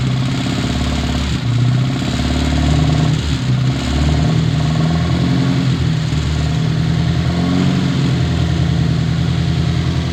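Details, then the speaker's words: Old Austin Mini Cooper just after first start with MSD ignition: the engine blips and hunts unevenly, its low note surging and dipping. Untuned and running rough, before adjusting the distributor and fuel. "When it first started, it was sounding like trash, bro."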